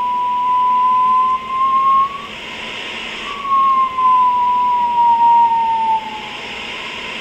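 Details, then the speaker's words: Rohde & Schwarz EK070 shortwave receiver (late 1970s, 10 kHz–30 MHz, power supply problems), bandwidth reduced in 100 Hz steps: clean single ~1 kHz tone over faint hiss through a very sharp CW filter; tuning knob lacks its counterweight but the filter operates very well. "okay this is a very sharp filter the knob is not balanced mechanically uhuh counterweight is missing but it's operating very well"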